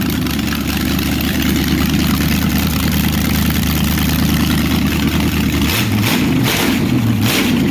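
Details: 400ci small-block Chevy (511 block) auction find, timing set, good oil pressure: steady even idle with deep rumble, then a couple of clean throttle blips, no misses or knocks; healthy normal running.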